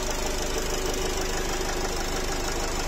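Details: Nissan X-Trail 2.0 dCi diesel, 250,000 km, no error codes, a squeal reported in the engine: sharp, slightly uneven knocking about three per second over the idle, an intermittent internal knock, cause not pinned down.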